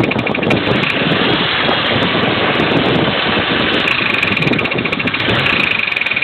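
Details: 2003 Pontiac Grand Am GT, under 170,000 miles: heavy, uneven internal knocking throughout; owner suspected lifters or connecting rod bearing, and the engine blew about six months later, throwing flywheel pieces.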